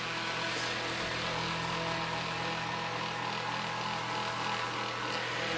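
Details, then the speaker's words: Restored mid-1950s Bersted Zero 1250R electric fan, motor lubricated and blades repitched: a steady, fast whir with a faint hum and no grinding. Bearings are slightly worn but salvageable; normal running. "I mean, these little fans spin so fast that they're gonna make noise. It's just kind of the way it is. No way around that. But the bearings weren't as bad as I thought."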